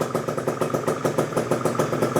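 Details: Freshly built PM Tuning 172cc Gilera Runner two-stroke Piaggio scooter engine, first start, barely warm at about 100 degrees, coolant not yet bled: crisp, even popping idle with a light high ring, no misses or rattles; healthy idle.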